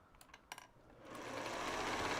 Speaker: that sounds better and tension looks good